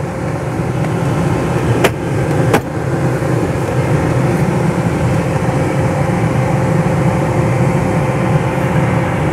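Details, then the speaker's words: Renault Megane 2 cabin blower fan replaced after mouse damage: smooth steady airflow hum with a faint even tone, no rattles or scraping across all speed settings; blower fully working. "este complet funcțională partea de aerotermă"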